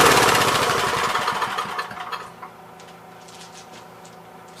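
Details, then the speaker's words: Troy-Bilt tiller, parked long and reportedly running when parked: small engine pops along roughly, then fades and dies within a couple of seconds whenever the throttle is moved; fuel delivery problem suspected, friction disc also sounds worn. "funny going on here, because as soon as you mess with the throttle, it dies."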